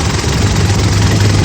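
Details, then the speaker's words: Gen 4 Mitsubishi Pajero at idle after swapping the aftermarket Ryco filter for a new genuine Mitsubishi air filter: a steady, smooth low idle with no rattle. The airbox top half no longer vibrates against the lower half. "all right that sounds better already something here that rattle's all gone"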